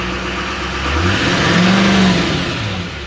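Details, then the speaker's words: Salvage four-wheel-drive turbo pickup with stock exhaust and front-end damage at a Copart yard, no check lights: smooth pitch climb with faint turbo whistle, settles back, no knocks or rattles; normal revving, "sounds good". "yeah it's got a regular exhaust on it too you can hear that turbo spool up though so sounds good"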